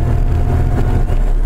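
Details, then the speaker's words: 1995 Chevrolet S10 TBI at operating temperature: thin, steady high-pitched squeal over the warm idle that goes away when the accelerator is pushed; vacuum leak, fixed by replacing the bad TBI base gasket. "I have it up the operating temperature now you can hear it well I'm gonna put it down here where you can hear it hear that high-pitched squeal goes away whenever I push the accelerator now"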